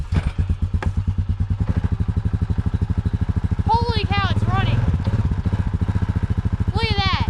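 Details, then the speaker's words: Honda 4x4 Rancher revived after sitting six years in North Dakota, idling in freezing cold right after first starting, with the idle raised slightly and a little smoke: an even, regular putt-putt idle that quickens a little and stays smooth and healthy. "that is insane sounds so [Music] healthy i t the idle up a little bit it is literally sitting here idling right now guys and again it is insanely cold out right now"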